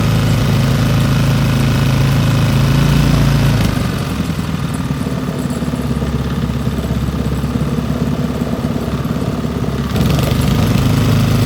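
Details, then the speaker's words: Old Briggs & Stratton single-cylinder petrol engine rescued from the trash, carburetor needle valve opened; steady running, then idle screw backed out so speed drops to a slower regular idle, then raised back up cleanly — smooth healthy run and idle. "see how low it'll go backing out the idle screw there it is right there all right pull the idle back up a little bit"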